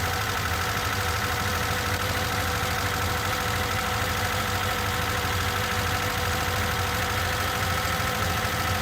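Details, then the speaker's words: Rebuilt carburettor with one jet slightly too large, though matching the table. Uneven, lumpy idle with an irregular loping beat and no clean rhythm; runs rich from the oversized jet. "Jah, üks tüüsist oli natukene liiga suur. No tabeli järgi peaks sobima, aga panime siis esimesse kambrisse tagasi väiksema tüüsi."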